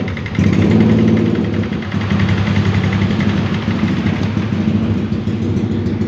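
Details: Yamaha Lexi 125 scooter after ECU repair fixing ER1 error (replaced faulty diode, fuel pump now hums), starting and idling with a steady even low putter, no misfire or knock, normal idle.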